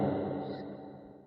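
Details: New LG GC-B257SQZL side-by-side Smart Inverter refrigerator: short musical tone burst fading over about a second, the Smart Diagnosis signal that diagnosis cannot proceed.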